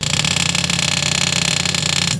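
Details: Ferrari 308 electric fuel pump run on the bench from the battery, the replacement fitted a few years earlier, compared with the rebuilt original: loud, harsh, drill-like whine for two seconds, then cuts off; overly noisy pump, replaced.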